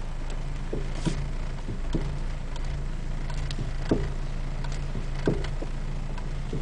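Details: Honda Acura RSX Type-S driving: irregular dull clunks about once a second through road rumble from the front driver side suspension.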